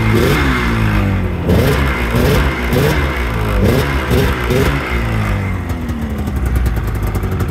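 Rough, uneven two-stroke crackle with blips of revving and a rattly idle; engine runs and picks up revs after long storage.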